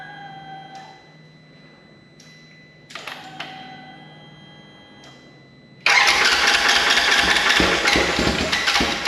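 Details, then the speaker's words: Rebuilt wrecked 2016 Polaris RZR 900 S on new frame with swapped transmission cases: a few short cranking tries, then catches and settles into a loud, steady unmuffled run; engine now starts and keeps running. "yes yes that was it foreign make sure she runs okay that's good news that is fantastic news"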